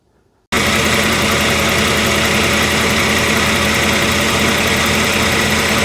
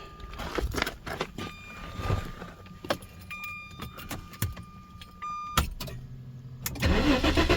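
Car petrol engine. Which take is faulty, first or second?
second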